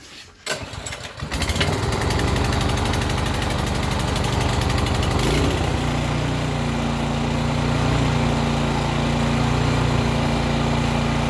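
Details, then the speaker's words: Craftsman/Yard Machines MTD snow blower with a Powermore engine, started on choke and prime after an ultrasonic clean of its Huayi carburetor to cure surging and no-start: catches within a second, runs rough briefly, then a steady drone, smoking a lot but running well. "so there it is smoking quite a bit but runs like a champ"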